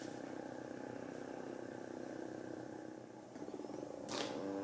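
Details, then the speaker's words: GVM GT-J80D video slider motor, running at about 25% speed backwards, recorded on Canon S10 camera without lavalier mic: faint thin buzzing hum with fine rapid ripple, then brief rising whir near end; motor whine, owner unsure if normal. "so this is a test without using the lavalier mic of what the audio sounds like on the s10 and it's running at about 25% at the moment in speed"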